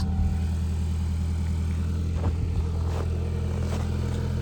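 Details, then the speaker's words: 2012 Ford Focus 5-speed, cold start at about 10°F: deep uneven low rumble with a clunky edge over the cold idle; cause unknown, owner suspects dash vibration, sport exhaust or motor mounts. "Let's take a listen to this kind of rumble that happens on cold starts. Still not exactly sure what this is, but let's go for it."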